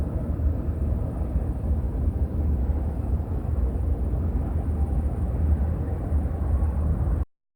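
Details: 1930 Ford Model A Tudor four-cylinder, barn find stored 40+ years, after head gasket, wiring harness and oil pan cleaning; low, even rumble with steady slow beat and no knocks or rattles, runs fine.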